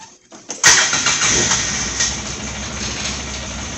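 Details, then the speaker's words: 2008 Polaris Ranger XP 700 after oil change and spark plug replacement, first start: brief crank, catches at once and settles into steady, even idle with no misses or knocks; normal start. "ah it starts right up all right oh I got the brake on still"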